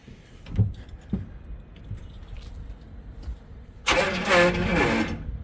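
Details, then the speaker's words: 1977 Pontiac Formula Firebird barn find parked since 2007, new starter fitted without shims: key clicks then short sluggish starter whir fading out after about 1.5 s; battery flat, weak crank. "Oh, battery shot. I'm gonna get the jump pack on here."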